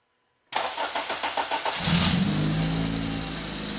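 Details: Acura TSX race car on cold start: brief cranking, then a shrill, steady squeal over the idle; worn tensioner pulley.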